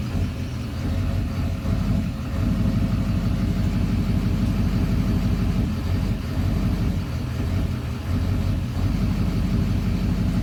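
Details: 2009 Duramax diesel idling while held in drive: heavy diesel clatter with an uneven, lumpy rhythm and slight surging. Idle smooths out in park.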